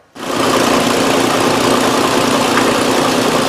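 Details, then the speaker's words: 2001 Nissan Frontier 3.3 V6 with check-engine light and stored P0302 cylinder 2 misfire code, starting and settling into an uneven chugging, bucking idle with a slight stumble; rough idle from misfire. "when I started it up and pulled it in it didn't sound great and I can I could feel a misfire seemed to be kind of you know chugging and bucking a little bit here on the way in"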